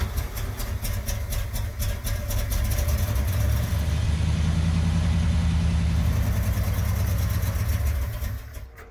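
V8 catches quickly and settles into a smooth, even lumpy idle with a short rev, no misses or backfires; runs well.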